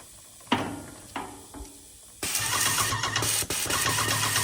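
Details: Yokiji 120 paint sprayer tested after repair: few clicks, then pump runs with steady rapid even pulsing hum, no grinding; working fine.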